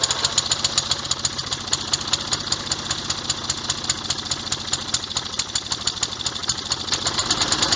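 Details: Revived old Snapper riding mower, 12.5 hp Briggs & Stratton single, after years sitting: quick, steady popping exhaust beat, firing evenly without missing; running fine.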